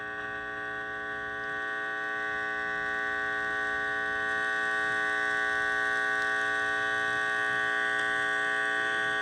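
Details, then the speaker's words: Heathkit IT-12 tube signal tracer with its probe set to RF: a steady low hum with a ladder of overtones and no signal coming through; an ungrounded probe ground brings in all kinds of noise. "Now, if you don't ground out this right here to something, uh, you're going to get all kind of noise inside this machine. So, just expect that."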